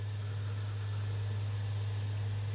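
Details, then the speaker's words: PS5 model CFI-1216A, five weeks old, after removing an object jammed in the disc drive: smooth, steady low hum as the disc spins up, with none of the earlier clatter; normal disc spin-up after repair. "oh yeah excellent you can hear it spinning up oh my goodness here wow that is super silent computer to what we had before"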